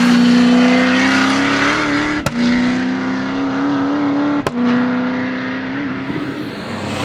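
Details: First-generation Camaro (1969) under way: steady engine drone with a sharp bang and brief drop at each upshift, two shifts two seconds apart; clunk on gear change that these cars are known to make.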